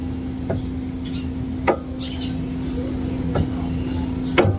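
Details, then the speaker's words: Car rear underchassis stabilizer link rocked by hand with two fingers: four dull clunks about one a second; worn, loose link that clunks over small bumps inside the cabin, cannot be fixed by tightening, needs replacement. "Yung lagutok na yon, pag nalubakan ng konti, rinig na rinig mo sa loob. Ito yung mga tunog na nakakairita."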